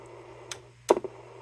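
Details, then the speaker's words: Tram XL5 CB radio powered on with antenna connected but no microphone plugged in: a faint steady low hum with a couple of clicks and no received audio; the meter shows nothing, possibly stuck; cause unconfirmed. "it's not it's like one tone it's not doing anything I don't see nothing on the meter but the meter could be stuck"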